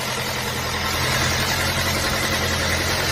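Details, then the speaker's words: 2008 Mazda 6 2.3 automatic at idle after start: fast, uneven metallic chatter, three or four a second. Internal engine noise began after head gasket replacement; scanner gave P0016 (timing correlation), cause unconfirmed. "Nos encontramos en esta ocasión revisando este Mazda 6 motor 2.3 automático año 2008, presentando como problema un ruido interno en el motor."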